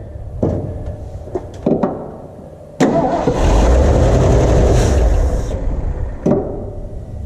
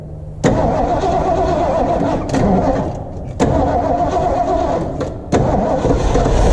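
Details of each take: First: 1977 Ford F-250 4x4, 351 Cleveland V8, running on gasoline from a temporary fuel tank. Short cranking bursts, then it catches, roars briefly, fades and dies. Hard start and stalling; a fuel supply issue is suspected. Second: 1977 Ford F-250 4x4 with 351 Cleveland V8, first start after revival, fed from a temporary gas tank with old fuel: fires with throttle blips and dips, then settles into a steady run, some smoke.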